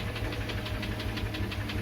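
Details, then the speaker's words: Subaru Tribeca, 3-litre engine, at idle during on-site hydrogen cleaning: sharp metallic knock about six per second; possible bearing wear feared, knock began fading after 15 minutes of cleaning; metallic engine knock. "Чистим Subaru Tribeca. Появился какой-то стук."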